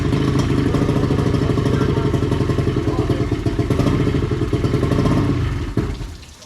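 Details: 20HP Johnson outboard that sat seven years, after replacing two lower-unit seals, fresh gas and new battery: steady buzzing engine note with a busy rattle on top, running evenly before tapering off; outboard runs normally.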